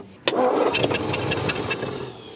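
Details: 1951 Ford flathead V8 unregistered since 1981, fuel pump struggling to pick up fuel from a swapped gas jug: brief cranking with quick uneven chugs that dies without firing; turns over but won't start.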